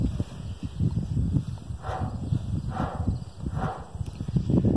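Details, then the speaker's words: Old grain cart wheel hub, turned slowly by hand with the microphone facing it, cover off and properly torqued: uneven rumbling and clunking with a scraping swish each turn from a worn wheel bearing that needs replacing. "that is not a good sound you don't want to hear that in a bearing"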